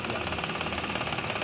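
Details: Mitsubishi Mirage petrol engine idling with a rough, chuffing pulse, the uneven stumble of a misfire.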